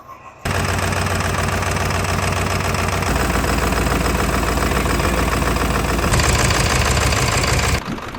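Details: Barn-find Ford F350 OBS 7.3 diesel, 5-speed, running on only four cylinders and revved to try to bring the last injector alive. Loud, uneven, stumbling clatter. Dead cylinders are found by unplugging injector connectors.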